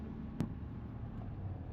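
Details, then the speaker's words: Truck towing an RV, driving after a squeak was addressed: only soft, steady road rumble and one faint click; the squeak is gone. "I don't hear it so far. No more squeaking. No more squeaking. I think you fixed it."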